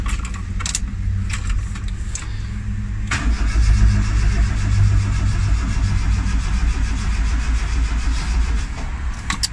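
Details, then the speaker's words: Turbo Tofaş Doğan in neutral: the starter cranks steadily for several seconds and the engine turns over but never catches. Crank no start; the owner suspects one connection was left unhooked. "Çalışmayacak. Niye gelmedi lan Özkan? Bir tane eksik bağladık herhalde."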